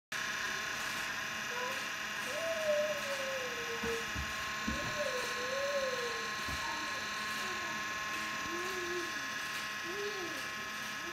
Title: 30Q and Noisy OPUS BT-C3400